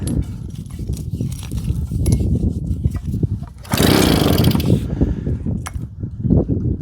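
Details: JAP 36cc two-stroke engine on a Stuart water pump, cranked by pull cord: uneven popping bursts but it never runs on its own. A carb problem is suspected, points assumed OK, petrol leaking at the tap.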